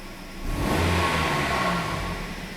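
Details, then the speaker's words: 2008 Kia Rio petrol engine (earlier P0300/P0301/P0303, flashing check engine light), pulling up smoothly under throttle with even rise, no stumble or miss; misfire gone. "let's see what she does feels smooth definitely not feeling any more misfire feels steady"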